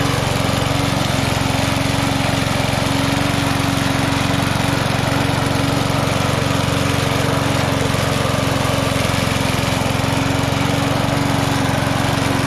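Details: Vintage inherited lawn mower, running after revival, blades set to cut about three inches: steady, even drone at constant speed with no misses, surges or knocks; engine runs healthy.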